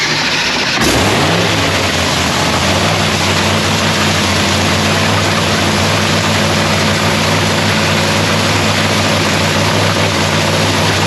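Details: Lexus race car's first start of the season in shop paint booth; engine catches quickly on first crank, then settles into a strong, steady idle with even rhythm and no knocks or misses; sounds beautiful, normal start and idle.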